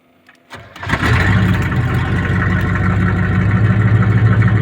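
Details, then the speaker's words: Chevy truck with 1984 7.4L big block swap: short crank then loud, raw, unmuffled blatting idle because the exhaust pipe is still broken; exhaust leak. "let me go ahead and start it up real quick before I ramble on for too long and the exhaust pipe is still broken so it's gonna be real loud but should be alright"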